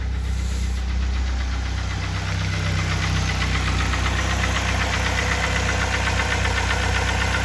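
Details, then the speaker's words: 2004 Mazda Tribute (Ford Maverick) 2.3 L3-VE petrol engine at about 193,000 km, idling after warming up: steady regular knock about four taps a second that starts once warm; chain, sprockets, tensioners and plugs already replaced, oil pressure normal, cause unknown. "вот начинает постукивать"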